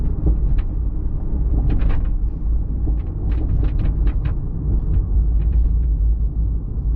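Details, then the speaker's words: Toyota MKIV Supra driving on the road: irregular light clicks and taps over steady road rumble; rear hatch rattling from worn rubber hatch bumpers. "You're driving down the road and this hatch just rattles like crazy. It makes so much noise."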